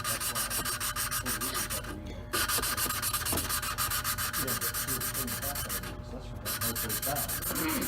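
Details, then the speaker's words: Hand lapping an engine valve into its seat with grinding compound and a suction-cup lapping tool: steady back-and-forth rasping strokes that grow quieter as the valve beds in, leaving a dark gray ring; normal valve seating. "put the little suction cup on the valve, and then take and just move it like you're trying to start a fire. And as you can hear it grinding the valve back into the valve seat."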